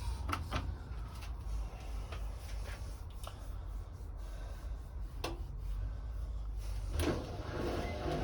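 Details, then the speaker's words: Hotpoint WMA32 washing machine drum starting a 1200 rpm spin with worn-out drum bearings, giving a low rumble with irregular squeaks and rubbing chirps from the bearing seal. New bearings are ordered. "So the bearings are practically gone in the machine, so we've had to order some new ones. So this will be the last video with squeaky bearings. So you may hear it squeaking a little bit in a minute, but that'll be it."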